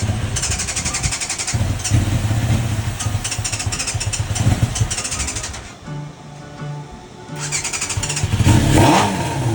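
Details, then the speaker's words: 1990 Yamaha FZR 600 with a new petcock, carbs not yet cleaned, started with carb cleaner sprayed in: rough revving bursts that stumble, catch briefly, then die; it won't keep running, and the battery is also suspected. "I was spraying some carb cleaner into the carbs. Trying to see if that'll start up. And it did for like a seco"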